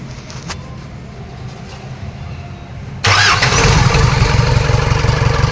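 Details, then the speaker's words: Isuzu 4HF1 diesel after reinstalling the shut-off valve on the injection pump. The starter cranks briefly, then the engine catches and settles into a steady, even idle clatter with no stumbling. This is a normal diesel idle. "Mga bay umaandar na siya."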